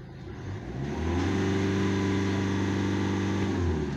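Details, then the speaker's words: 2016 Hyundai Accent CRDi diesel, check engine light on, pressure sensor regulator replaced twice: climbs quickly under throttle then holds flat, will not rev past about 3000 rpm; low power, cause not yet found. "y i throttle ko diyan tapos tingnan natin yung gauge kung hanggang saan siya wala hanggang 3,000 lang talaga boss"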